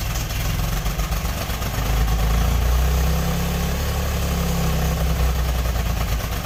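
Rough idle with an irregular, stumbling pulse, about three to four beats a second; one cylinder is dropping out now and then.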